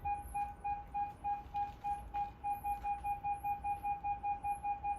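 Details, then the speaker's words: 2006 Mercedes B-Class (W245) with newly retrofitted rear parking sensors, reverse engaged, giving a steady mid-pitched beep about three to four times a second that quickens as a person approaches; the system works normally. "so you can already hear it it's detecting me so if I walk away you can see the reverse lights are on [Music] and as I approach the car the alarm is beeping"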